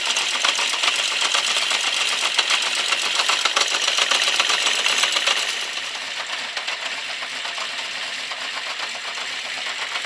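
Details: Honda CB650 Custom idling warm after a very cold start: fast, light ticking at about four per second over a steady idle, slight backfiring. The owner suspects valves on cylinders 3 and 4, or the clutch or cam chain area; not confirmed.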